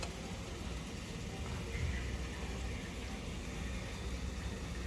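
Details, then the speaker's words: Electrolux GCB 11 Basic X Fi gas boiler after circulation pump replacement and refilling: low rumble with hissing, bubbling water rush in radiators; owner suspects overfilling to 2 bar instead of usual 1.7; noise later went quiet. "так батареях вода звучало значит я по ходу перекачал 2 бара"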